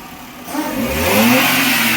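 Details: Maruti Suzuki A-Star petrol engine revving cleanly from idle, tone rising smoothly without stumbles, after fixing a cylinder 1 misfire (DTC P0301) caused by a loose spark plug and damaged ignition coil.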